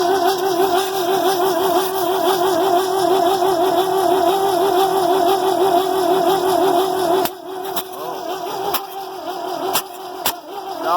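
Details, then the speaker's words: New Holland 1400 combine with Ford 300 engine, first start after cracked cylinder head repair and spark plug wire fix: strong even cranking about three pulses a second but no firing, because the firing order was wired backwards. "have to double-check my firing order all right so I had the firing order backwards"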